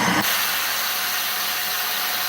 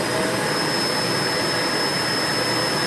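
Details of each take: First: Vacuum cleaner with no suction, tested with the hose on and then the wand attached: a loud, steady, high-pitched airy rush returns with the wand on as the relief valve bleeds air; the clog is in the wand. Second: Vacuum cleaner run with hose removed, testing tank, dirt bin and motor for lost suction: smooth, even rushing roar with faint steady high tone, no air-leak hiss; this section is fine.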